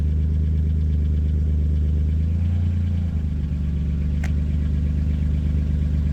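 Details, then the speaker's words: Chevrolet C1500 truck with 3100 V6 turbo, after fitting a new Flowmaster FlowFX muffler and 3-inch tailpipe; cold idle while checking welds for pinholes. Deep, steady exhaust drone with a slight pitch dip midway, no hissing or ticking: normal exhaust idle. "We'll have to see what it sounds like when it's warmed up here. I have a feeling it should quiet down nice."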